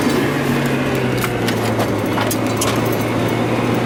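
Steady low idle hum broken by irregular sharp pops and skips rather than an even beat, a misfiring engine with an occasional stumble.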